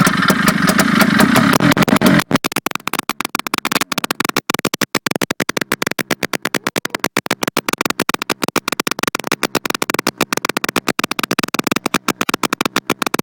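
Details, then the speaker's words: Ski-Doo Skandic 503 after points cleaning, started from the clutch side: after a short crank it fires in quick crisp pops on both cylinders, ticking over evenly; before, it ran on only one. "Well, that sounds a lot better. Before she's only running on one."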